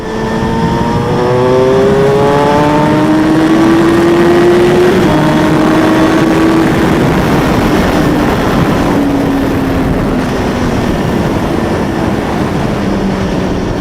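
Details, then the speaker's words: 2003 Kawasaki ZX6R after replacing a seized, gunked starter with a used one and fitting a new battery, on a 40-degree day: the engine starts and runs with a strong, even four-cylinder note, revving smoothly with no knocks or misses. "I got this used one for 70 bucks and hey look it started startup so new battery you starter it's ready to hit the road again"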